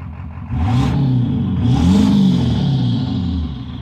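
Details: 7.3 PowerStroke diesel floored, blowing blue smoke: roar stumbles with an uneven clatter, a few beats a second, rather than a steady pull, misfire under acceleration.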